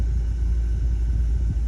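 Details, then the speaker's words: 2010 Ford Escape 2.5L dropped into gear at idle right after front engine mount replacement: low, steady, smooth rumble with no shaking thumps or clunks. Vibration is noticeably reduced from before. "Yes, I'll drop it in gear, and I will say there's a, so far definitely a noticeable difference in the vibration of the whole"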